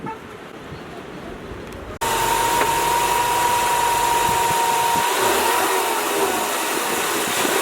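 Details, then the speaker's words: EcoBoost Mustang with Turbosmart blow-off valve refitted after a stiffer spring, at full revs: hard pull with a steady turbo whistle and no chattering flutter on lift-off; valve opens at higher boost. Normal turbo spool without flutter. "so oh i don't know i did not hear turbo flutter between two and three and then up on the three not the high three but just about to get the three i still didn't hear it open but i didn't hear flutter"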